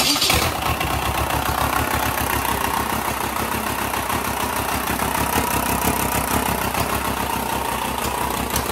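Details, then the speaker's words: 2.0 TDI BHW diesel, destined for a Jeep JK camper swap, running on a test stand with the starter solenoid jumped to 12 V: fires up in a split second and settles into a steady, even idle clatter with no misses. "and that's basically it it's running on the test stand"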